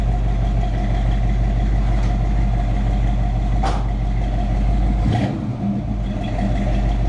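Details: Chevrolet K10 truck, freshly tuned and dialed in, project with lift kit: steady even low rumble with no knocks or misses, brief outside noises; engine sounds healthy, normal running.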